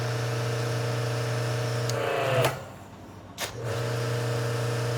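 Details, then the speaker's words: Active 3.0 pressure washer (rated 3 GPM) at first startup, briefly struggling for water before catching up; steady motor hum cuts out at trigger release, then spins back up smoothly; sounds healthy. "Now, my lights did flash real quick, but I got to say this thing's insanely quiet."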